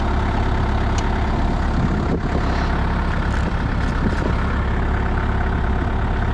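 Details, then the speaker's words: Used Moffett truck-mounted forklift diesel that won't shut off: steady, even low idle chug after battery disconnected; engine keeps running, cause unknown. "I'm hoping this will kill it of course of course it doesn't or does come on come on die die die die die wow that's [Laughter] ridiculous"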